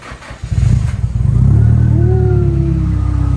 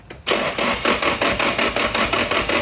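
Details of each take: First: Nissan S15 with an SR20 on a first start-up after a wiring fix: starter churns briefly, then the engine catches, revs up smoothly and settles into a steady, even idle with no knocks or misses; normal start and rev. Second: Nissan S15 with an SR20, first start-up attempt with fuses already checked: an even cranking chug of about five beats a second with no catch; cranks but gets no spark; cause suspected, not confirmed.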